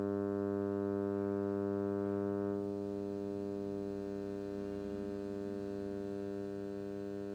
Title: Humming Noise Input+output